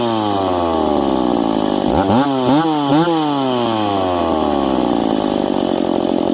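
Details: McCulloch Pro Mac 850 chainsaw with an expansion pipe, cutting two-year-seasoned hard oak at 10,300 rpm in the cut. Clean two-stroke scream drops in pitch as the bar bites, then recovers smoothly. Normal cutting under load.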